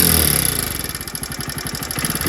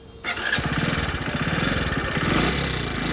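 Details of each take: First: One-year-old Hero HF Deluxe BS6 motorcycle after clutch plate change and tappet setting to cure engine noise and weak pickup: quick even single-cylinder idle, about ten firm beats a second, no tapping on top; healthy. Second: Hero HF Deluxe BS6, one year old with 13,000 km: small single running with a loose, busy ticking of about four per second over the idle, rising with revs; tappets are out of adjustment, fixed by tappet setting.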